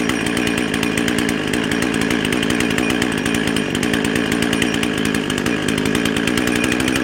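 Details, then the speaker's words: Husqvarna 55 chainsaw that bogged when cutting and ran hot and fast, half-choke start: it holds a high, screaming steady pitch, revving too high without settling back; lean running from a carburetor gasket intake air leak. "hey oh sounds like she's running a little bit fast let's get attack on there"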